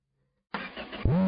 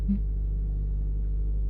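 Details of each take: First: Engine started right away with fuel just added but no exhaust system fitted: a quick crank, then a loud, raw, unmuffled bark. It ran much quieter once the exhaust was installed. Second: Straight-six in a B200 truck restoration project, just after the exhaust system was fitted: starts instantly and settles into a low, muffled, even idle with no rattle or tick, much quieter than before; normal idle.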